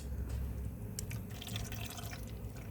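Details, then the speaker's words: BMW N52/N54 after a coolant flange replacement, ignition on, heat at 28°, fan low, auto, gas pedal held down 10 seconds: soft irregular trickling and gurgling as the electric water pump bleeds air, running 10–15 minutes; normal. "is your electric water pump bleeding the cooling system for you. So, this will run for about 10 15 minutes."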